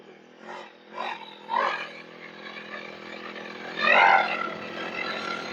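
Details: Two-stroke lawn/brush cutter that was unused for a long time and would not start, after the fix: several quick throttle blips rising and falling cleanly. It runs and revs normally.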